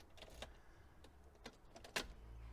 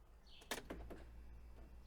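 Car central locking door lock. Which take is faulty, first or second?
second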